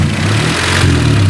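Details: 1995 Honda Civic 1.5L petrol fluctuating idle, hum sagging then climbing; engine vibration loosened the fast idle thermo valve (FITV) diaphragm; fix is adjusting the FITV and bleeding air from the coolant system.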